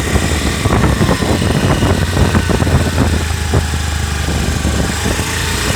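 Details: Honda Activa 125 BS6 scooter with a noise coming from its lower section. A steady rough drone with an uneven rattling rumble underneath points to trouble low in the CVT drive. Cause suspected, not confirmed.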